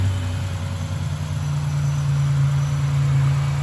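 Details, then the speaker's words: 1987 Buick Regal Turbo T, odometer 87,979, with an upgraded larger turbo. The engine settles from a rev back down to a steady, even, low rumble at idle with no knocks or misses, so it is running healthy. "As you can hear, she just idled down."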